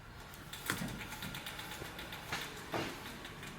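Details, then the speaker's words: 2005 Toyota Corolla S, about 167,000–176,000 miles, rolling slowly; irregular dry clicks and light rattle from a rear wheel; suspected rear wheel bearing, though no play found. "there is a rattling sound coming from the rear wheel let me show you what i'm talking about"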